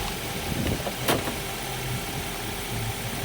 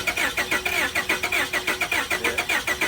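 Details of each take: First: 2010 Ford Focus at police auction, started right up with jump box hooked up: steady low idle, even rumble with a few clicks and thumps; normal idle. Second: 2002 Honda Accord at police auction, jump box hooked up and starter fluid shot: fast even starter whirring, turns over but never fires or catches; crank no start.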